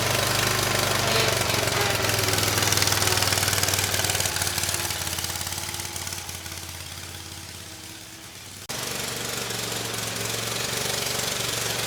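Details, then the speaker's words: Bobcat zero-turn (Ransomes 942205) with replacement Kohler SV730S engine, started on starting fluid, choke not hooked up: sharp raspy exhaust pulses about four per second, fading and returning; very loud exhaust, possible hole, head gasket ruled out visually. "Uh the exhaust, it is quite loud. You know, I'm not sure if there's a hole in it. You know, it kind of sounded like a head gasket, but I'm not seeing any signs of that, either."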